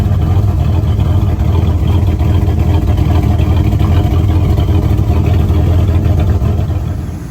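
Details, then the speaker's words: 1970 Ford F-100 stepside with a Mexican-block V8: deep, even rumble at idle with no misses, knocks or ticks; the old motor runs smooth and quiet. "I think he's a great old motor really good motor that's quiet it is this is super fun this is great as motor"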